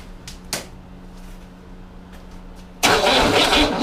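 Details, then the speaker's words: 1961 Corvair air-cooled engine on a bench, sat 20 years, partly refurbished: slow labouring crank about three beats a second, then a loud rush; likely starved of battery power, suspected warm jumper-type cables. "yeah you know what i think the problem is these cables i feel warm"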